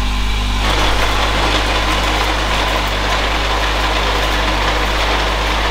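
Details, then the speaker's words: 2011 Honda CR-Z race car with new throwout bearing, in neutral as clutch pedal released: idle turns into loud gritty rumble as input shaft spins; suspected worn transmission input shaft bearing, not confirmed. "after hearing the noise that that input shaft made we uh we figured this transmission is toasted"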